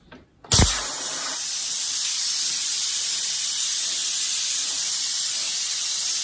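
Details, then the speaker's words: Manually dumping about 65 psi from an air tank: a sudden pop, then a loud, steady rushing hiss as the air vents. Moisture is visible in the air but no water comes from the drain. A normal tank dump. "if I want to dump uh looks like 65 is pounds of air out of a tank real quick like CU it's going to be in the a hle so I got to dump that"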